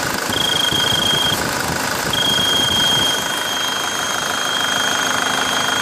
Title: Свист турбины